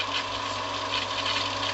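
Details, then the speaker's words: Swimming pool pump switched on with the multiport valve set to backwash for cleaning the sand filter: steady low mains hum with an even rush of water and no rattles or surging; normal running. "Alors je vais mettre en route la pompe. Hop, c'est parti."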